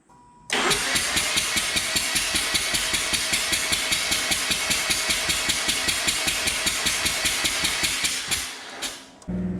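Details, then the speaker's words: 2007 Mazda RX-8 rotary after sitting two years, fuel line repaired, flooded, coil packs disconnected: even starter cranking at about two and a half pulses a second that never catches; it cranks with some compression but won't start. "Well, it sounds like we've turned it over and we found that it has compression of some sort."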